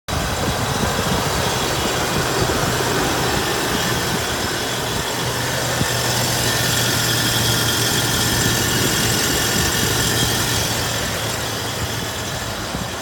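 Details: 2000 Toyota 4Runner at idle: rough gritty grinding, roughly four pulses a second, from the engine bay; cause not found.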